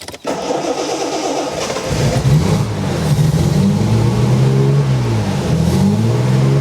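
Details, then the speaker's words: TVR 3000M Ford Essex V6 on a lift, first cold start after cooling system work (new water pump, radiator, swirl pot, hoses): it cranks, catches quickly, blips, then settles into an even idle with no knocks. Oil pressure is good and it still needs tuning. "seems to work and i got a good oil pressure that's good water temperature of course is low and everything else seems to work fine and the engine runs fairly smoothly"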